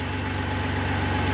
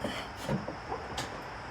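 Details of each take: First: 2004 BMW 325i (E46) idling cold after oil filter housing gasket and CCV replacement, revving freely; quick even ticking on exhaust pulses from an exhaust gasket leak that goes away once warm. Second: 2004 BMW 325i petrol six after CCV, coolant hoses and genuine oil filter housing gasket replaced: normal start with a few clicks, smooth even run, revs freely; exhaust gasket leak still audible, goes away once warm.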